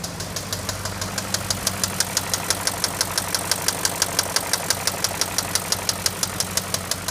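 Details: BMW X5 idling: sharp, even knocking at about three a second over a steady idle; the owner does not know the cause.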